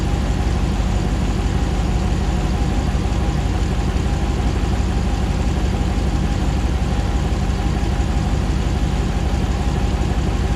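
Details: 2009 Hemi 1500 TRX4 auction truck, first start after months of rebuilding: steady even low rumble at idle, about 87 psi oil pressure, settling smoothly while warming with no misses, knocks or jerking as before; normal idle.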